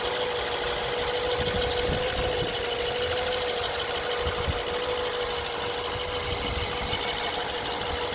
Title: BMW E90 2011 LCI 318i N43 intermittent engine knock pt 3